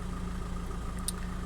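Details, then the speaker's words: 2005 VW 2.0 TDI PD (BKD, no DPF) ticking over: even, low diesel clatter at a steady idle with no misses or knocks. EGR is working with no leaks, and specified and actual boost are closely matched; a healthy engine. "But yeah, they're nice and closely matched, and if I rev the engine, that's perfect. Yep, spot on."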